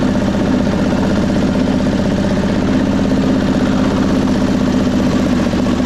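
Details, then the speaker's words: 1999 Craftsman lawn tractor with 20 hp V-twin under mowing load after deck work, before carb cleaning: uneven stumbling beat with no steady rhythm, bogging down; owner suspects a carb issue with flooding. "All right. Well, to me it sounds like a carb issue and we've had some flooding problems."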